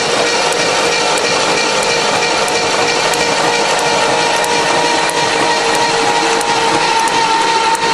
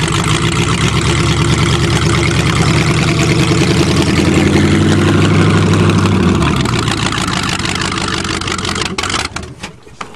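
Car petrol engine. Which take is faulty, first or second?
first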